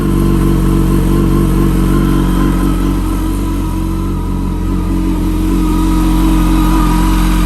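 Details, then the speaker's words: Wrecked 2006 Yamaha R1 finally started after about 57 tries, strong idle and revs with faint steady high whine, almost supercharger-like; owner unsure if it is the clutch, can't yet put it in gear safely to test. "And it's got, I think it's a weird sound coming from, I'm not sure if it's the clutch. Can't really tell."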